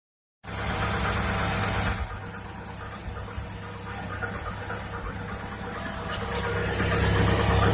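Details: 2018 Chevrolet Niva cold start and idle with a steady, fast light knocking over the engine; cold knock, cause unknown.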